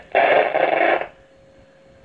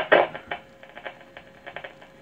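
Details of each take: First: 1937 Zenith radio Model 6-S-256 during restoration, first power-up with no dial belt fitted and speaker untested: about a second of harsh crackling static, then a quiet steady hum; tubes light and the speaker works. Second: 1937 Zenith 6-S-256 tube radio during restoration, first power-up without dial belt: quiet hiss with irregular crackles and louder static bursts; tubes light and speaker works.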